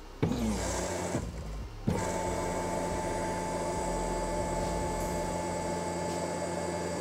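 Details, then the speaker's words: 2008 BMW E90 335i N54 after a DIY stage 3 fuel pump upgrade for E85, microphone near the pumps: clicks, then a steady constant-pitch electric whine as the secondary pump runs with the Hobbs switch shorted; normal fuel pump operation. "you can hear the secondary pump running only when in short the hog switch and now it's off"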